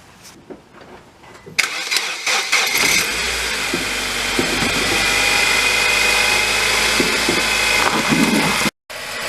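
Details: 2007 Nissan Versa 1.8 manual after R&Y AC clutch/coil kit install, fixing a seized AC compressor pulley bearing that slowed the starter: starter whirs briefly, engine catches into a steady even idle, no belt squeal or grinding.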